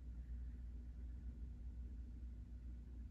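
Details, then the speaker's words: New Accuflo AF 51201 metal muffin fan, 120VAC 29W single-speed shaded-pole motor, factory-oiled sleeve bearings: soft, steady low hum and airflow rumble with no ticking or scraping; bearings running quietly. "And the bearings are silent too. Sometimes with new sleeve bearing fans, the bearings are a bit noisy when you first use it because they need to kind of break in, but this one's nice and quiet."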